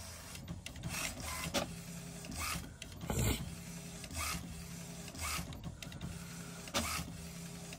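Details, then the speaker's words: HP Smart Tank 500 printer after head ink-charging procedure to clear air in ink pipes, printing alignment page: repeated carriage sweeps about every second with motor whirr and paper-feed clicks. "ये देखिए ये आपका page निकल गया है और ध्यान से देखिए देखिए कैसे यह हेड चार्ज कर रहा है"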